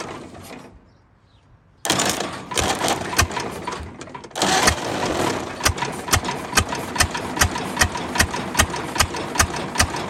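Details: 1929 Ford Model A four-cylinder, abandoned 75+ years: uneven, lumpy running with irregular sharp pops about two or three a second, slow to gather revs; an exhaust valve is sticking again.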